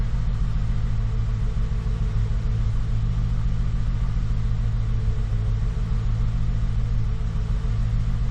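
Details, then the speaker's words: 2014 Ford F150 V8, ongoing misfire after dealer repair, needed throttle to crank: deep uneven lumpy idle with no steady beat, idling with foot off gas but misfire persists; cause unconfirmed. "I'm still not wanting to idle all right well it's idling now my foot's off the gas and it's still idling at the moment but it's definitely got the MF still I can feel it"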